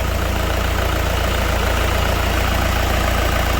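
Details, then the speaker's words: Car idling with the AC on after recharging; the car took more refrigerant than expected from a 450 g bottle. The pressure drops and the pipe is chilling. A steady, low idle drone with no knocks: normal idle with the AC compressor engaged. "Yes, now you can see this pipe is chilling."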